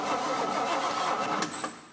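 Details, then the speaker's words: 1968 GMC half-ton pickup, disassembled and unused for about 20 years, with black oil. The starter turns the engine over steadily and the tach shows 500–700 rpm, but it never fires: normal cranking, no start. "Well, sweet. The key works. It turns over."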